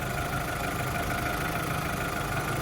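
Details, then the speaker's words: VW Caddy with fire-damaged harness after ABA engine swap, restarted: smooth, even idle with steady low rumble, no shaking, knocks or misses; running right. "Sounds great. It's not shaking all over the place."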